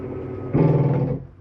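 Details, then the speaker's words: 2013 Keystone Cougar 21RBS travel trailer slide-out extending: a low motor drone swells about half a second then fades as the slide reaches full travel, bottom leaning out first where the motor sits; normal end-of-travel sound. "That's just the slide mechanism telling you it's all the way out."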